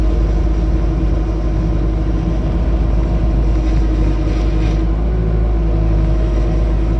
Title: Bobcat T250 making noise when turning